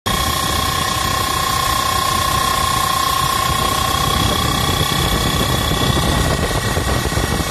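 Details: Blower making a loud steady roar with a high constant whine on top; possible worn belt, cause unconfirmed.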